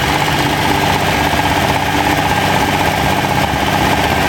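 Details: Freshly rebuilt Ferrari Dino 246 GT V6, fully restored and run on a small test stand before final installation, with oil pressure, water temperature and exhaust being checked: crisp, busy idle, fast even beat, no knocks or misses; normal idle.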